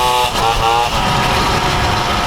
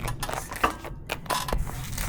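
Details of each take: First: Motobécane moped with Polini kit, climbing hills under load: buzzy two-stroke note pulling steadily with no misfire or rattle, a little less power than with the Simonini, a bit soft when reaccelerating. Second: Motobécane moped two-stroke warming up after revival: uneven, loose metallic clacks ride over a light idle; the bearing-type variator clatters at tickover, a common and harmless trait on these mopeds.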